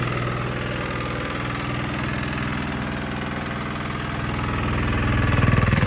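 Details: Sykes GP80 water pump, Lister TR1 diesel, cheap auction buy, first run: deep regular thudding chuff about four beats a second, swelling slightly at end, loud with floor rattle; normal idle, charging at 14 V.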